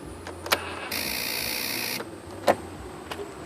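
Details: Zhejiang Wildfire R8 scooter: electric starter gives about a second of high whirring then quiet, no firing; kick start also fails even after priming; fuel gauge rises only partly, lights, signals and horn work. Cranks but won't start, cause unknown.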